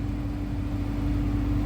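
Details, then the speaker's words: 2013 Dodge Charger R/T heater blower stepped through speeds after replacing blower motor and resistor (previously only high worked): even, steady mid-pitch fan hum and smooth airflow rush, no rattle or squeal; normal operation. "As you can see, it's on one and the heater is blowing. I'm just going to let you hear it."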